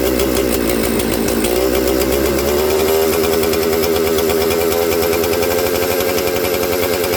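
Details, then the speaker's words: Mystery 200-series "266" chainsaw: buzzing two-stroke note sags for a couple of seconds when spray is applied at the crank seal behind the oil pump, showing a crankshaft seal air leak making it run lean. "When I sprayed this into there, did you hear it slow down? Now, because the crank seal is behind the oil pump, it's really hard to suck it into there, right, on these."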